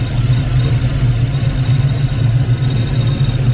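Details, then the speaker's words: Foxbody Mustang 5.0 with rebuilt Kenne Bell 2.1L supercharger, first start: steady high-pitched whine over lumpy, slightly high V8 idle; squeal seemingly from blower, possibly AC compressor spacing. "I got a little bit of a squeal I can hear. I don't know if that's blower related or... Maybe got to mess around with the spacing on that AC compressor a bit more. Oh, it sounds like it's coming from the blower."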